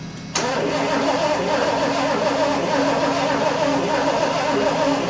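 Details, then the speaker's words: 1974 Lincoln Mark IV parked 36 years, electronic ignition, fuel dribbled in carb; steady starter cranking, never fires, suspected weak spark and low voltage, boost pack on and carb spray to try next. "Open the throttle some. All right, hold up. We ain't got no spark. >> I don't think we got enough I got enough spark. I don't think we got enough voltage."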